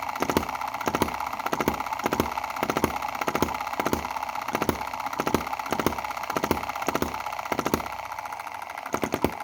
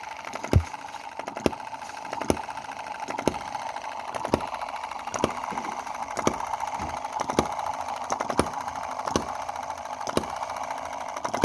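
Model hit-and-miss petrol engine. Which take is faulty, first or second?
first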